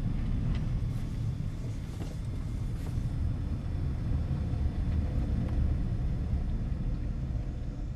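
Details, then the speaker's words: 2004 Honda CR-V after rear differential drain and refill with Honda-approved fluid for tight-turn shudder; test drive through tight turns gives only steady low road rumble, no groan, chatter or shudder; healthy differential. "here's our after in vehicle turn to turn nowhere near making the noise that it was making for"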